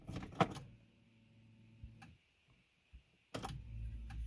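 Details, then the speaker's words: Smart 451 1.0i petrol, restart after switching off, stuck in neutral with no gear selectable; brief electric whir and a few clicks after key-on, then silence and no crank; faulty clutch actuator causing no-start, code P0886. "ves ya no funciona ya no hace nada ya no quiere arrancar y está un punto muerto"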